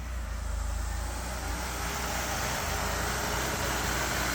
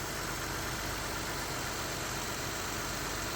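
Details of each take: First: 2006 Ford Escape 3.0 V6 at idle right after replacing both valve cover gaskets: faint constant hiss over the engine note from a vacuum line left disconnected under the intake. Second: 2006 Ford Escape 3.0 V6 after replacing both leaking valve cover gaskets with Fel-Pro and reconnecting a loose vacuum line; steady even idle with AC on, chopping noise gone; normal idle.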